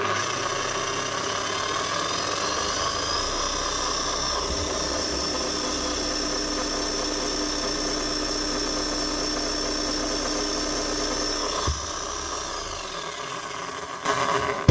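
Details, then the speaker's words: 2005 Makita HM1202C demolition hammer, 20 years old, after regreasing and new brushes: the motor spins up to a steady high whine with a coarse gritty rattle. The gears are worn, noisy but running; slight sparking remains as the new brushes bed in. "Even the grease, it's not going to quieten down worn gears. They're worn, and that's all there is to it."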